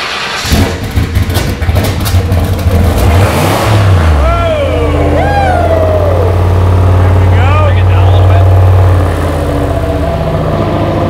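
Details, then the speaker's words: 1998 Lincoln Mark VIII, cheap 70mm turbo, newly installed forged stroker 4.6 4V engine, first start: rough start with fast light sewing-machine clatter under the revs, then a rising drone; startup ticking, lifters suspected. "we're probably gonna have some lifters yeah they take making a racket there"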